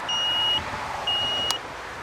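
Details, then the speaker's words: Hulkman 85S portable jump starter in boost mode after pressing both buttons 2–3 seconds on a low-power battery: two steady high ready beeps, each about half a second, a second apart; the car then started first try. "ready it say yep ready let's give it a whirl this is the hulman 85s or 8.5 we hear the chiming going car started up on the first shot with the hulman 85s"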